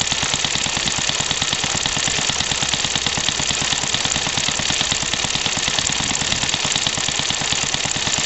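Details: Scratch-built home-made steam car, about 15–20 years old, running on compressed air instead of steam (boiler blew up on first run), freshly oiled; fast even exhaust chuffs about three per second over hissy air, running steadily without faltering.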